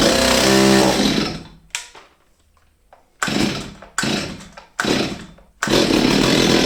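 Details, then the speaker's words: Old Stihl 023 two-stroke chainsaw, unused over two years, fires and races briefly then keeps dropping out and surging, bogging as if fuel-starved; carburettor, fuel line, filter or diaphragm suspected, not confirmed. "Như các bạn thấy, có vẻ như không đủ nhiên liệu. Và bạn có thể thử điều chỉnh nó một chút, để điều chỉnh bộ chế hòa khí, nhưng nó đã nằm ở đây hơn hai năm và có thể còn hơn thế nữa."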